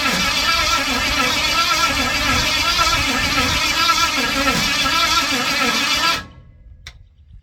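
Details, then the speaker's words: Ford 460 big-block, formerly rust-seized, from an RV, after distributor adjustment: even cranking churn for six seconds, never fires. "Damn. I don't know what's going on here. All right, I'm running out of ideas here."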